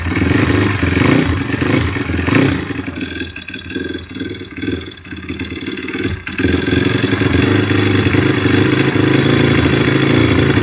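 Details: YX-1 160 single-cylinder four-stroke engine, fully disassembled, valves adjusted, slight piston-pin play, camshaft bearings loose in their seats: revving and settling with a metallic ringing knock that comes and goes; source unclear.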